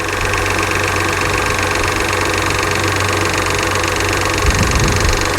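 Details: Salvage-auction car under hood at idle, slow to engage drive and reverse, smoking and burning oil from exhaust: loud idle with quick uneven tapping about four times a second over engine drone; knocking at idle, cause not pinned down.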